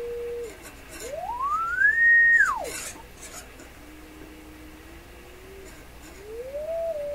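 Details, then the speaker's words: Rogers 11RA651 shortwave radio audio amplifier stages tested with a test tone fed into the phono input: the tone glides up to a high whistle and back down, clean with no buzz or distortion; audio output normal. "Sounds pretty good. I don't hear any kind of problem with that."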